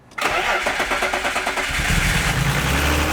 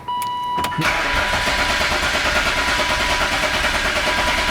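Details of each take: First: BMW E36 M3, unrun for 4 years. Quick cranking bursts, then the engine catches and settles into a steady, even idle; starts cleanly and runs. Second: BMW E36 M3, unrun for 4 years. A chime, then a loud, fast, even starter churn for about eight seconds without catching; the starter is noticeably loud.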